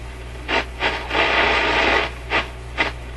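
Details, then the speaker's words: Grundig 2540 AM/FM/SW tube radio under repair, FM section with ECC85 tube, fed 105 V instead of full mains voltage: while tuning, hissy static bursts swell and drop out every second or so and the FM signal comes and goes, with hum present. "I'll tune it now. Funny stuff happening here. It's trying."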